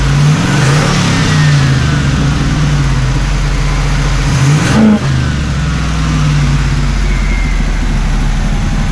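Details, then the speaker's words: 1979 Camaro Z28 Quadrajet-carbureted V8, tuned up and warmed, running on all 8: deep rumble climbs cleanly on a blip and settles without stumbling, idle still slightly high. Normal revving. "Fix a couple more vacuum leaks, and still out of them just a little bit too high, but we got the old quadribog action."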